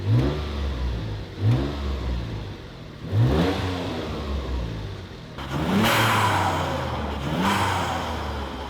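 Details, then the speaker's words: Mitsubishi just revived after sitting, fluids topped up: repeated throttle blips each bring a raspy puffing chuff that swells with revs over a healthy engine note; exhaust leak. "elle a l'air géniale et maintenant ça sonne bien, sauf pour cette fuite d'échappement"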